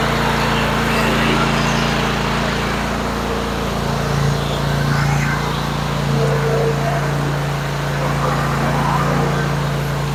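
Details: Kohler 24 HP mower engine after installing a new ignition coil module and confirming spark; runs with a steady, even drone and smooth firing beat, no misses or stumbles; running normally.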